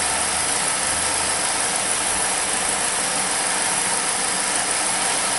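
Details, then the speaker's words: 2006 Saturn Ion 2.4 Ecotec with codes P0300, P0171, P0507, P1174, rough erratic idle, short-term fuel trim about 23%: steady loud hiss over a faint idle; suspected intake vacuum leak, hard to confirm with plastic intake. "always hard to tell with these plastic intakes you can always hear the air rushing through them"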